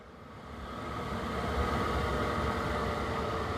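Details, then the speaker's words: Vevor diesel heater after one year of shop use, shut down after 10–15 minutes of running: flame roar stops and the fan hum eases off slowly; normal shutdown with the fan spinning down. "You can hear the fire's gone out and the fan start to slowly come down. Oh, peace and quiet."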